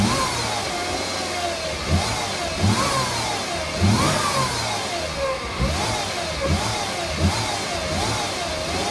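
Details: 2008 Mercedes-Benz C300 V6, stock exhaust, cold start and revving: a loud whistling whine rises and falls with each throttle blip over the engine note; a failing alternator, and replacing the alternator cured the noise.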